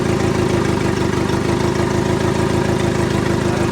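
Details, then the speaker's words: Turbo D16 Honda Civic idling: rough, lumpy, uneven loping beat, one cylinder not firing (sound doesn't change when tested); dead-cylinder misfire traced to an injector wire not fully plugged in, after which it ran smoothly. "you got to see which one's not firing that was good that not firing you see how it doesn't change sound so for some reason this one's not"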